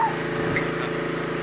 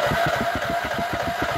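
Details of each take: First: Nearly new lawnmower with only 10 hours, after a mouse was found in the muffler; the engine holds a steady, even drone without bogging, surging or sputtering, the way it's supposed to sound. Normal running. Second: Nearly new lawnmower with only 10 hours that a service shop couldn't fix, choke off, everything disengaged, in neutral; steady rhythmic cranking at about three and a half compression pulses a second, nearly catching but never picking up. Hard starting, later traced to a mouse in the muffler.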